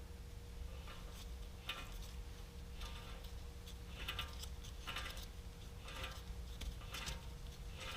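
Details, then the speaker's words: BMW F10 (RWD, 2010–2016) front hub spun by hand with brakes removed, giving irregular light clicks; worn front wheel bearing near end of life, to be replaced. "You can hear that clicking noise within there. It's not as bad as it could be, but it certainly means this wheel bearing doesn't have much longer life left to live."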